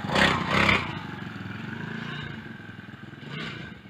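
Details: Small single-cylinder four-stroke motorized bike, first start in weeks after fitting a new transmission drive belt, fires on choke, blips twice, then settles into a light, quick putter with no scraping or clatter; runs fine.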